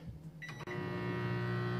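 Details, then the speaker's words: Manual microwave on a modified sine wave inverter: starts with a loud, buzzy low hum, runs but pulls a lot of power. "to that here at humming it doesn't mic bet voltage very much it'll run on it but it's pulling a lot of power a lot of power to do this"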